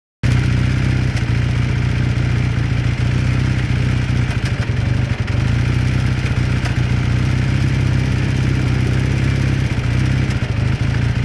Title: 81 KZ440 Warm Up - Knocking Noise